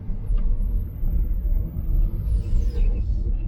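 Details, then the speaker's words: Tesla Model Y at low speed: thin, very high-pitched steady squeal over road rumble, less bad at higher speed, then sweeping down; stone trapped between brake rotor and dust shield. "Could have been like some gravel stuck in there between like the, I don't know, the brakes or something. I don't know. It's going. Yeah, that does not sound good."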